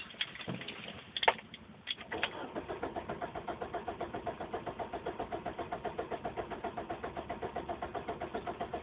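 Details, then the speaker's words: Car that sat parked since 8 a.m., normally starts instantly: the starter churns evenly at about four pulses a second for several seconds but it never catches. An odd clicking from the rear was heard earlier. It eventually started. "Normally, turn the key and it starts instantly, but now it is not starting."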